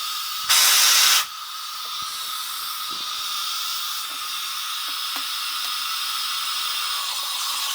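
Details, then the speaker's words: Foden steam waggon injector valve during refurbishment, on 150 psi shop air: short loud blast gives way to a constant sharp hiss of air escaping; valve leaking badly past its seat. "I've got this couple onto my shop air line, like 150 psi, and you can hear it's pissing"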